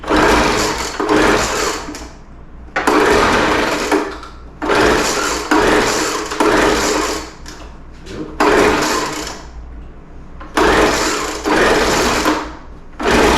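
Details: Older Craftsman 200mph two-stroke blower, sat unknown time, restarted after the high-speed mixture screw was opened slightly: a high buzzy wail surging in uneven bursts and dipping between them. Carburetor acting funny, erratic high-speed running after sitting.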